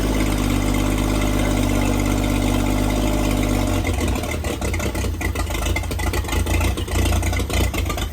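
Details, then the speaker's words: 1954 International Metro van engine, newly installed, with only the electrics connected and fuel hand-pumped into the carburetor, catches and holds a steady, even idle hum, then turns uneven as the fuel runs down; it starts and runs. "So, there we go. I I don't have any fuel system hooked up, so I was just pumping fuel into the carburetor, but it seems to work and it starts up."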